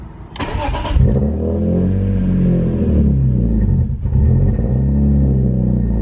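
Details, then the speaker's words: BMW E46 M3 S54, 70,000 miles, after ITB and idle control valve cleaning and TPS replacement, start: catches with a short burst, starts a little rough, then settles into a steady, smooth, deep idle, no misses or knocks. "so she started off a little rough but um it seems to be idling great now i'll let it warm up and then we'll take it out for a test drive"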